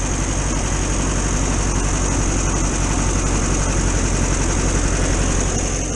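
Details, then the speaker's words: VW T2 camper van's air-cooled flat-four idling on a cold January day: steady, even idle with smooth, regular chuff, no knocks or misses; owner says she's running all right. "so there you have it she's running all right she's got plenty of little jobs to get on with"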